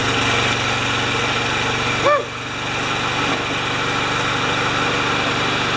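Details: Craftsman mower with Kohler engine, dead-man tie-wrapped open and intake seal retightened, runs at mid speed with a steady even hum; normal running, holds speed.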